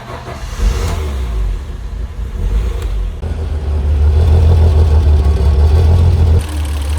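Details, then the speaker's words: BMW E30 started after 10 years, after swapping in a new fuel pump for a dead one, with old fuel and open vacuum lines plugged: the engine catches and settles into a steady, even idle with some revving and no stumble, running normally. "Of course, I had to plug all the vacuum lines that were left open, but car runs. Listen to it. And it idles."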